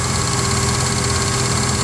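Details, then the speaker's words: 1995 Ford F-150 with 300 engine at idle: steady petrol idle with fast, loud, even clicking from the AC compressor whenever the air conditioning is on, stopping when the compressor is switched off. "when i turn on the ac compressor it clicks very loudly and i don't know what it is"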